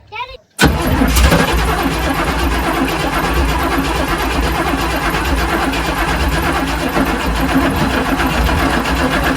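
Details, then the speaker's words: 1979 Chevy Suburban 8-door shuttle, new battery, fuel line to a temporary gas tank and new filter; steady even starter churn but never catches; no fuel reaching carburetor, mechanical or in-tank pump suspected. "I'm going hit it with a little starter fluid. I'm not getting fuel to here."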